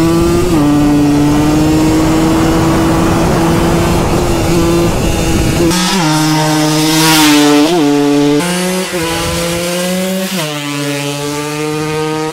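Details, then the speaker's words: Two-stroke 150 bike with about 400 km, ridden with a rattling engine: raspy revving up and down with a dry metallic rattle that follows the revs; damaged piston, likely since purchase. "jetzt können wir mal sehen einfügen wie wir damit gefahren sind mit rasselndem Motor"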